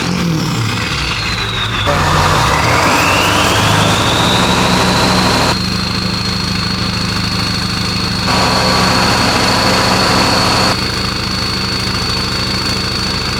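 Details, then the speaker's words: OBS 7.3L Powerstroke idles after a new Full Force Diesel stage 2 HPOP install and started faster than expected. Steady, even diesel idle with a constant high whine from the oil system, no misses or knocks; running normally. "I'm going to let it idle uper it started actually a lot faster than I thought"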